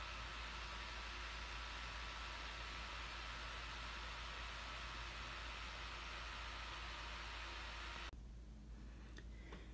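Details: Laptop running with steady, loud airy fan whoosh, no rise or fall, then quieter handling noises; owner suspects the fan clogged with dirt from long use without cleaning, to be opened and cleaned.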